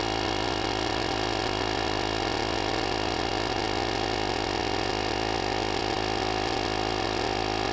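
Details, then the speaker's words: JFEGWO 6000A jump starter's built-in tire inflator set to 26 psi in car tire mode, inflating a very flat tire: constant buzzing whir at unchanging pitch, no surging or rattle; normal compressor running. "there we go 26 lb kicks right off and it also airs up tires like a boss guys hope you enjoyed this video"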